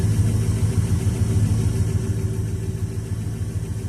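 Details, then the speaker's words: 1969 Dodge Dart after freeing the stuck carburetor needle and seat, fuel pump reconnected, choke unhooked on a warm day: steady low idle with an even beat of three to four pulses a second, no misses or knocks; repaired, running smoothly. "Let's just let that run a little bit. Yeah, she's running. I don't have the choke hooked up."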